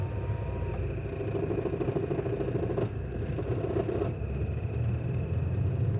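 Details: VW Golf MK5 GT 2.0 TDI: fast, tinny chattering rattle over a low diesel rumble at low rpm with the clutch lifted, sometimes persisting at higher rpm. It is intermittent, with an occasional thud when accelerating. Owner suspects the gearbox; source unconfirmed.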